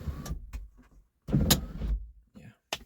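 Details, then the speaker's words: Power sunroof on a 2006-2012 Mitsubishi Eclipse makes sharp cracking/snapping about once a second over motor whir whenever closing; began after it was opened on ice in winter, months ago. "then now all you hear is this cracking noise whenever you close it so that's when you open it then whenever you try to close it makes that cracking noise"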